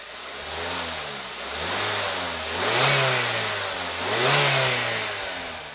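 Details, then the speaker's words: Daihatsu Xenia engine after replacing valve lifters, camshaft removed, only valve cover opened: revs rise and fall smoothly with each blip, no ticking or tapping; much better than before repair, smooth running engine. "Dan hasilnya, alhamdulillah, menurut saya, jauh lebih baik dibandingkan video sebelumnya. Jadi, sebelum dan sesudahnya pasti akan sangat berbeda."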